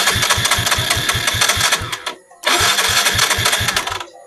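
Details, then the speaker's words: Yamaha Mio J scooter that won't start, fuel pump pressure good: two bursts of quick even cranking with soft, light compression pulses and no firing; compression lost from damaged valves. "Nah, namun keretanya tidak juga mau hidup."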